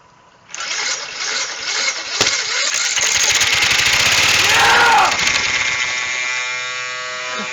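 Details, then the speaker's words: Old Snapper mower, 12.5 hp Briggs & Stratton, previously locked up after years sitting: fast, even starter churning about four beats a second, never catching; owner suspects a bad starter that can't spin it fast enough, not confirmed. "That starter is just no good. I don't think it can spin that fast."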